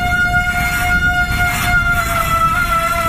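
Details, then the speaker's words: Mountain bike disc brake held under light, sustained pressure to heat the rotor: piercing squeal with a low rumble, pitch changing and fading as it heats, a DIY squeal cure. "You hear it changing pitch. You hear the squealing actually starting to go away now. Getting quieter."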